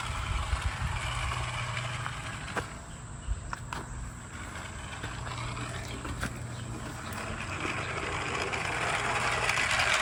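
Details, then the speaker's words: Garden railway train after a track short was fixed: steady light clicking at roughly three per second over track joints, with a smooth rolling hum as it completes the circuit; normal running. "here we go complete circuit makes me feel good Eureka I've done it and I didn't have to wait two weeks for the silicone to come in"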